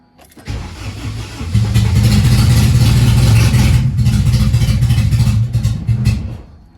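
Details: AWD B-series hatch on OEM ECU without distributor, after reconnecting the coil circuit: cranks, catches, revs unevenly a few seconds, then stalls; owner suspects low fuel, pump sounding like it struggles with air.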